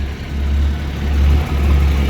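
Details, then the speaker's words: 1989 Jeep Comanche 4.0 automatic 2WD after earlier no-start: steady, deep even rumble at idle, no ticking or knocking; healthy, owner guesses neutral safety switch caused no-start and oil pressure gauge may be bad. "But she starts. She doesn't sound bad. She's not knocking. Sounds healthy."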